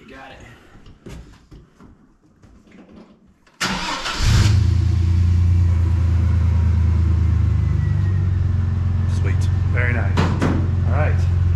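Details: 2000 Chevy S10 ZR2 with a new Delphi fuel pump, after the bed electrical and fuel pump frame ground were reconnected and the pump was heard priming. Quiet clicks, then it catches within a second and settles to a steady, even low idle with no misses; a normal start and idle.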